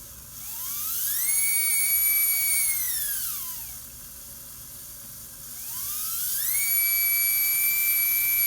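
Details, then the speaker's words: Slot car chassis motor fed from a battery through a home-built lane power reducer, running at reduced speed: clean whine climbs, holds steady pitch, falls away and rises again with no rattle or buzz; normal running. "This is the negative coming from a battery. Now you can hear the car going fairly slow."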